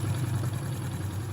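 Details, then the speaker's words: Honda Pop 110i, about 25,000 km, rebuilt after engine damage (cylinder, head and crankshaft machined): quiet low even idle with no ticking or knocking; repair finished successfully. "Tozinho bem caladinho, ó. Motorzinho bem caladinho, foi finalizada com sucesso."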